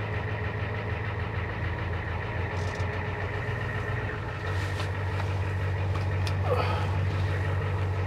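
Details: Truck idling after its failing vacuum pump was fixed, restoring power brakes and clearing the brake warning light: smooth, steady clatter with an even low beat and no knocks or misses. A normal healthy idle.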